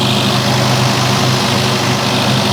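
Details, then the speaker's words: 1973 Opel Manta A CIH engine, first start after DIY cylinder head refresh, on fast idle warming up: light busy valvetrain clatter steady with speed; valve lash not yet finalized, to be rechecked hot. "a little bit of clattering I can hear. Just a little bit. But not bad, not bad. Well, she's chugging along pretty well. There's definitely a little bit of Valvetrain noise, so it's going to be good to finalize the valve lash setting."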